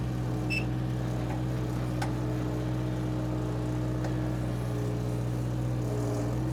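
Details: Power Trac 1850 diesel tractor after fluid change, mower attached: steady even diesel drone with low hum, no knocks or misses; normal running.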